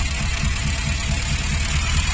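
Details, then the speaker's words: Morris Minor, after cleaning the float bowl, float and needle valve to cure float bowl overflow: starts almost straight away with throttle, then a low, steady, even idle with no misses; no float bowl leaks so far. "there we go starts there pretty much straight away"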